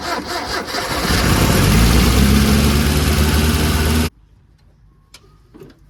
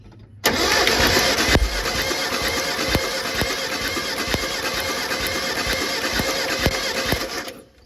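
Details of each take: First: Mitsubishi Pajero 4G54 with Weber carburettor, rocker cover refitted after compression test: cranks, catches, then races to a high steady speed until shut off; throttle stuck open, idle too high; timing later found miles out with chain tension lost. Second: Mitsubishi Pajero 4G54 compression test cranking, about seven seconds of evenly spaced, uniform compression beats; plug leads arcing with plenty of spark; cylinder reads a little less than 120 but around the same as the other three; even compression.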